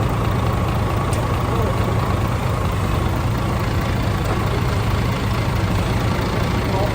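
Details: DAF CF85 Euro 6 diesel after top-end knock repair: worn inlet camshaft, rocker arms, engine brake replaced, tappets adjusted, fresh oil; steady even idle, deep low rumble, no knocks or misses, slight exhaust blow to trace. Normal idle.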